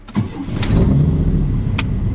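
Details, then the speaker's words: Blazer that had sat for a couple of weeks: a short crank, then it catches at once and settles into a steady idle, a normal quick start. "I just wanted to show you my trucks been sitting for a couple of weeks here and when I go to crank it"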